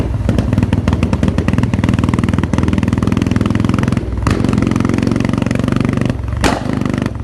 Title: Misfire💀💀